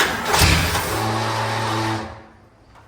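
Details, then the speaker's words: 1966 Lincoln Continental started after two years sitting, fuel poured down the carb: harsh grinding while cranking, then it briefly catches; suspected starter not meshing with the flywheel, not confirmed. "oh what was that starter on the flly wheel"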